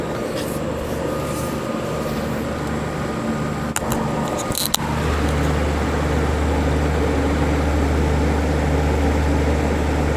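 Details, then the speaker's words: Late-1970s or early-1980s Coke vending machine just bought: fan whooshing, then a low hum drags on as compressor tries to start, lights dim and fan slows; owner unsure if stuck, bad or low on Freon. "yeah you can hear the compressor trying to kick on I don't know if it's stuck or if it's bad or if it's low on Freon not 100 sure"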